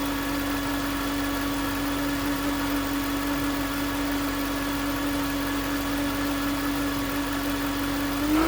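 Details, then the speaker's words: 2009 Range Rover Supercharged 4.2: steady high whine over smooth idle, rising slightly as revs lift; stethoscope on alternator housing confirmed alternator as source, no engine codes; alternator replaced. "It was obvious that that's where the whine was coming from."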